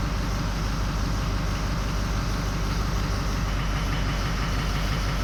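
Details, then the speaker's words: 2004 6.0L Powerstroke diesel, previously given some new injectors, that runs well for a few minutes then drops injectors; on a power balance test at idle, number 7 drops first, then 3 and 1. Heavy idle with a loping, uneven thump about three times a second. "Oh, it's just getting worse. Number 3's dropping out. Number 1's dropping out."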